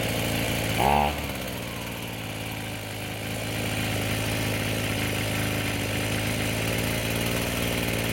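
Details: Echo SRM-210 two-stroke string trimmer after a new purge bulb, fuel lines, fuel filter and air filter: quick start, then a steady, even idle with no stumbling or surging; normal running.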